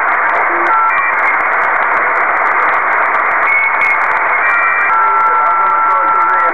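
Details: Kenwood TS-2000 HF radio: constant harsh hiss with whistling tones drowns the bands; heavy local noise interference, source unknown; built-in noise reduction garbles audio, external DNR speaker helps little.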